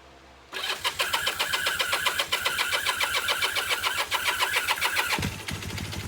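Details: 1978 Kawasaki KZ400 first fire-up after exhaust and carburetor install: cranks briefly then catches cleanly into an even steady beat around 220 per minute; healthy start and idle.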